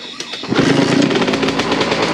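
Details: 2001 Suzuki RM125 two-stroke after repacking the slip-on exhaust, under a carport with echo. Sharp crackly rapping settles into an uneven idle; previously sounded like a hollow tin can and wouldn't idle. Normal running.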